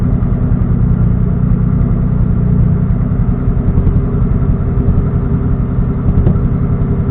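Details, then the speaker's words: Engine on a standalone ECU, idle fuel cell raised from 57 to 58 in TunerStudio after a lean backfire, warming toward operating temperature: even, steady low idle with a smooth rumble, no misses or pops; fueling now judged right. "Yeah, there we go. I think that's perfect right there."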